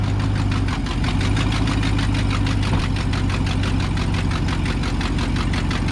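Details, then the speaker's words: Auction work truck V8 at idle, 93,000 miles, check engine light on: sharp, even ticking about four per second with hissing, louder than it should be; exhaust manifold leak from a broken or missing rear bolt. "I think the exhaust manifold has a broken bolt in the back or missing you can see where the back cylinder it's missing so it's making a hissing noise it's a little bit louder than it should be"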